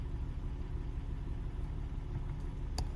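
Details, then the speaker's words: 2010–2013 Acura ZDX after fuel pump relay replacement for long 3–4 second cranking before start when parked; first start after battery reconnect starts like normal, quiet steady low rumble with even rhythm, no knocks or misses, smooth normal idle. "Let's go ahead and start it up and see. All right. Okay, it started like normal."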